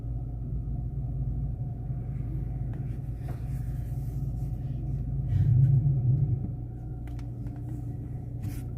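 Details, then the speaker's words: Car with suspension noise, fixed by aligning the steering wheel: only low steady engine rumble while turning lock to lock, no clunks or creaks from the front end; noise gone. "é praticamente Zerado acabou o defeito do carro"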